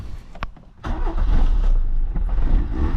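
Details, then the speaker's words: 1986 Peugeot 205 after an oil change with 10W40: brief crank, then catches first time and settles into a steady, even idle with no knocks or stumbles; healthy engine. "démarre du premier coup ça n'a pas l'air de cuire donc nickel"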